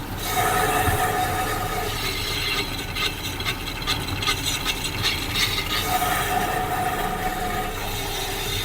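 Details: Honda Civic braking on the road: rough scraping with steady squeal from the rear wheel as soon as the brake is pushed; rear brake pads worn down to metal.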